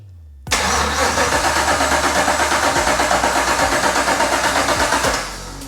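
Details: BMW 635CSi with swapped 6.2L Gen V LT1 V8 before first start: even, rhythmic cranking at about three beats per second for nearly five seconds, steady speed; starter turns the engine healthily.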